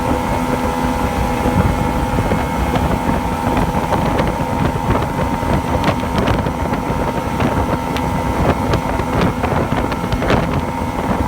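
Outboard runs with irregular pops and a wavering beat through wind and water noise, sounding like an uneven, surging misfire.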